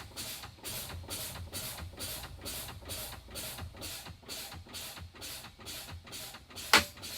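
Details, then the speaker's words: CDL pre-trip brake test, truck engine off: repeated sharp air hisses as the brakes are fanned, the low air warning comes on (alarm silent with the engine off), then a pop as the spring brakes activate. "I'm going to fan my brakes. My low air warning device came on. You do not hear the alarm going off because the truck's not running."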